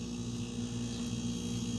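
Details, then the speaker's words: Refrigerator found dumped on its side, stood upright, with a swapped start relay, capacitor and overload relay; it earlier stopped after about 30 s: a low, steady mains hum with no clicking or buzzing as the compressor starts and runs smoothly. "it goes so it's starting that's that's a starting sound that's a really good"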